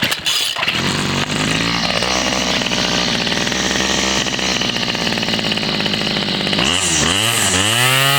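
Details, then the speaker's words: Homelite 30cc two-stroke string trimmer that wouldn't start, running after a carb kit, carburetor cleaning and a new fuel line. High buzzy note holds steady, then revs down and back up cleanly without stumbling: normal running after repair. "I got a carb kit put in it and I cleaned the carburetor and changed out the gas line and uh runs pretty good"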